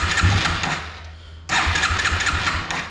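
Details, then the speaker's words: Yamaha 225XT dirt bike, cold, choked, before carburetor removal and cleaning. Engine catches and stumbles, dies, fires again with uneven lumpy beat; has trouble starting and runs really rough: hard starting, rough running. "But I mean, it even really kind of has some trouble starting. So it'll, you know, just runs really rough right now."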